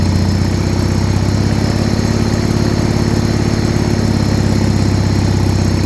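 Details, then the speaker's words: 1980 John Deere 317 garden tractor, not run in about three years, started with the fuel tank pressurized and choke applied: the single-cylinder ticks over at a steady, even low thump with no misses or knocks; a healthy settled idle. "so she's finally started and idling"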